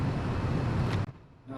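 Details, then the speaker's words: Church mixing desk with nothing connected and too much preamp gain on several channels giving a loud, steady roar with low hum that cuts off abruptly; excessive gain raising the noise floor. "E quando você dá muito ganho, acontece isso aqui, ó. Tem nada conectado, né? Você dá muito ganho? Ouviu o ruído?"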